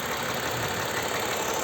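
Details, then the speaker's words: Toyota Highlander U50 3.5 2GR-FKS, 93,000 km: fast even dull knock at idle, heavier than lifter tick; Toyota dealer called it hydraulic lifters, but mechanics suspect connecting rod, knocking when revs raised; oil changed without filter. "возможно Говорят это гидрокомпенсаторы стучит но мы так не думаем Друзья потому что здесь как будто бы стучит уже Шатун когда оборотку поднимаешь"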